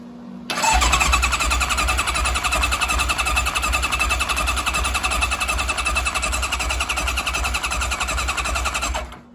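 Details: Kawasaki KZ1000 police bike after engine swap, cranking after pickup-coil corrosion fix restored spark: steady starter cranking at about three turns a second with no firing, carbs not yet fuelled. Crank, no start from lack of fuel.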